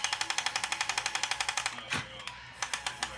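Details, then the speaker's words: Top Race TR-113G RC front loader lifting a bucket of candy after pushing into the pile: quick steady ticking about three per second as the arm strains, then lone clicks; owner backs up and retries: lift gear clutch slipping under load. "and then what I do is I go up click click click all right what I do is I try to back up a little bit try it again"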